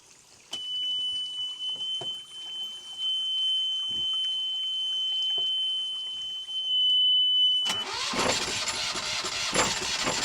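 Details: Newly installed Yanmar 2GM20F diesel in a Prout catamaran, cooling water drawn from a bucket: long steady whistle, then it catches and runs with a loud, harsh open exhaust; the brief run sounds even.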